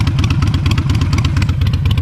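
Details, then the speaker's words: Harley-Davidson Iron 883 Sportster, jump-started after a dead battery and ridden up and down the street: even, lumpy V-twin lope with steady firing pulses, no knocks or rattles; strong, healthy, normal idle and revving. "She starts up, she runs, she's looking good, she feels great. Ran it up and down the street a couple times. She's feeling real strong, real nice."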